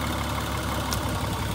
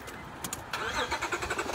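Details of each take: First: 2003 Honda Odyssey 3.5L V6 at idle with one ignition coil pack deliberately unplugged: steady low idle with an uneven, lumpy pulse as one cylinder goes dead. The engine shakes and misfires, showing that coil was working. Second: 2003 Honda Odyssey 3.5L V-tech engine after an ignition coil pack change: short crank, then it fires and holds a steady, even hum; smooth idle with no shaking, normal.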